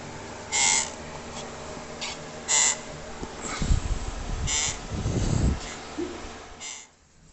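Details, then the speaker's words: Elite Suito bike trainer, six months of heavy use: sharp chirpy squeaks about every two seconds from the rear sealed bearing with plastic race guard, small plastic particles found there; bearing squeak. "it's like a lot of sealed bearings that is where the squeaking was coming from"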